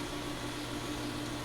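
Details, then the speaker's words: 2004 Englander 25PDVC pellet stove, original 10-year-old auger motor, just after oiling and greasing to cure annual groaning: steady low hum, constant mid tone, no groan or strain; running normally. "just a few moments after the oil and greasing and this thing is running just fine again"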